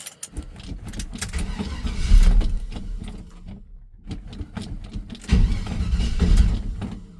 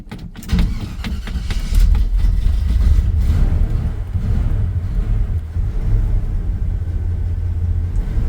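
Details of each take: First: 1978 Chevy C10 "Billy James" cold start, not started in a while, right after fixing a poor battery connection: starter churns in uneven bursts with pauses, engine reluctant to catch; slow cold cranking. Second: 1978 Chevy C10 "Billy James" V8 just started cold after sitting a while: deep, steady low rumble with even firing, no knocks or ticks; healthy, normal cold idle.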